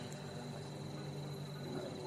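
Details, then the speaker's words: 9 kg twin-tub Fanfila washing machine spin dryer after replacing the seal that was spinning with the shaft and causing squeaks and leaking: steady low hum with a faint rustle, normal noise as the new seal beds in. "Dan ternyata sudah berputar, itu masih ada berisik, itu wajar, nanti juga hilang"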